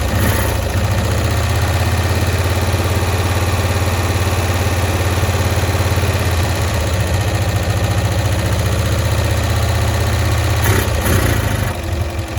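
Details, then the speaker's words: 1965 Cushman Truckster small twin, sitting one year, just started on choke: uneven, lumpy idle of about three pulses a second, hunting slightly, while mixture screws are adjusted; owner suspects a stuck float. "okay so what I'm trying to do here is I'm adjusting the mixture screws to try and get it to run at optimal performance and at the same time it sounds like it might have a stuck float so I'm trying to get that float unstuck at the same time"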